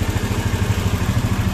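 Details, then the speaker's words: Old carbureted Honda Vario scooter idling normally after a no-start repair: quick, even low putter with regular beat, no clatter or stumble; compression noted as somewhat weak. "Ya nggak akan diganti dulu ini udah keadaannya udah normal udah hidup"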